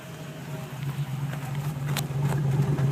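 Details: 1994 Land Rover Defender 90 4.6 V8 at idle: uneven, lumpy rough idle with a light tapping about three per second and vibration over a low rumble; cause unclear.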